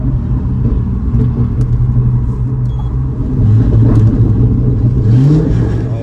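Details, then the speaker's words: C6 Corvette under way after fixing stalling and hot-start faults by replacing old cables with new oversized ones: steady, deep drone rising smoothly with speed, no stumbles or cut-outs, charging 14.3 V on average. Running normally. "uh coming to a stop it won't stall got full power everything's running how it should so all right I got all my electrical Gremlins sorted out she running good no cut out or nothing now running 14.3 volts on average"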